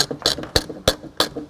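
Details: 2016 Subaru Forester tailgate handle: sharp plastic squeaks about three a second as the handle is worked; broken handle mounting clips.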